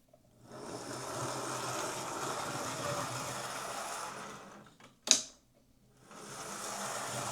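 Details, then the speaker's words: Old Hornby Class A4 Mallard model locomotive with CD motor conversion, after reworking the gear clip, cleaning and re-oiling, on test track drawing about 100 milliamps: soft even hum, brief stop and restart, no whine; motor running quietly and healthy. "That doesn't seem to be making the horrible whining noise that I've heard come out of CD motors before."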